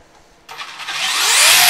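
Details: Brand new Traxxas Velineon brushless motor on 3-cell 4000mAh 20C LiPo, spur fitted: high whine climbing as it spins up with coarse hiss over it; owner suspects a bad bearing, not confirmed.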